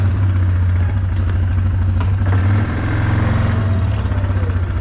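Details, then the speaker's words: Idle on a 2009 Yamaha Wolverine 350 ATV after idle adjustment, shifting between neutral, reverse and drive without CVT jump; steady, even low putter with no stumbles or hunting, smooth clean engagement; normal healthy idle. "i'd say that's a good a good idle right there it sounds good"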